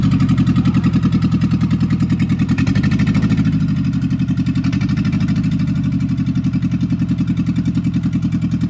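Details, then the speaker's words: 1964 MG Midget Mk II running after 30 years sitting outdoors, a little choke: lumpy, uneven exhaust beat at fast idle with stumbling pulses; rough running blamed on dirty carbs with stuck plungers. "running a bit rough but it's [Music] running cars definitely need to be clean out"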